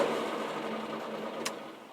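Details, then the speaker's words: Morris Minor fuel pump with the ignition switched on, pump fitted after the old one broke: light, fast, steady mechanical chatter; pump ticking normally and delivering fuel. "Let's just turn the ignition on and see what happens. You hear that? It's a fuel pump."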